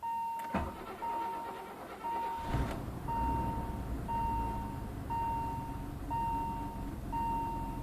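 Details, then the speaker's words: 1986 BMW 528e, neglected and sitting for years, after repairs including coolant temperature sensor, O2 sensor, fuel pressure regulator, oil and cleaned idle air control valve: warning chime, brief cranking, then the engine catches and runs, uneven at first. "it starts I may have done it okay let's see sorry exhaust so what to help didn't sound too healthy but it does start"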